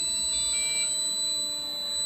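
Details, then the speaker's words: Losi ProMoto MX RC motorcycle powering down after flywheel turned off: steady high-pitched electronic tones and short beeps from the remote flashing yellow, no motor noise; do-not-operate warning before unplugging battery. "remote's beeping yellow telling us not to operate it we're going to let it power down get the battery unplugged"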